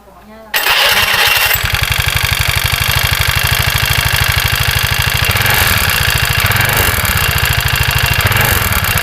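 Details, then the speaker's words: Carbureted Honda Vario 110 scooter running with no load and the roller housing removed: fast, rough, coarse rattling drone persists, so the noise is inside the engine; engine had run out of oil, cylinder or piston suspected damaged. "Oke Mas Bro, setelah semua tanpa beban dan tanpa rumah roller, suara masih ada."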